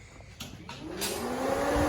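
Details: Nova race car electric cooling fan after wiring completed: spins up with a rising whir within a second, then a steady rush of air; fan and motor sound healthy, blowing well.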